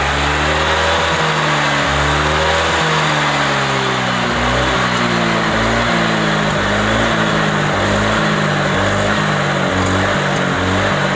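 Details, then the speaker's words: Honda Vario 125 scooter: engine revs up and down but stutters and hesitates, stumbling misfire; sound resembles a fouled spark plug; cause suspected, not confirmed. "Sepeda motor itu tersendat-sendat. Terbata-bata. Suara tersendat-sendat itu terdengar mirip dengan busi yang kotor."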